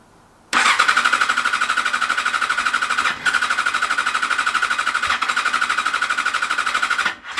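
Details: Yamaha FZ6 Fazer S2 with "new" ECU, cranked after easy start sprayed into the throttle bodies: steady starter cranking at about three beats a second, just a near catch, no sustained firing; owner suspects fuel problem or plugs not clean and in good condition.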